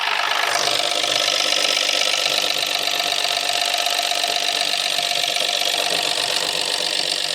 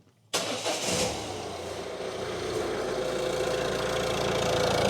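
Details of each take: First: 2017 Ford C-Max 1.0 EcoBoost, 74,000 miles, driven about 200 miles with oil light flashing, light still on at start: harsh, raspy metallic rattle around four beats a second over idle; engine damaged internally. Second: Perfect. Like a little singer sewing machine.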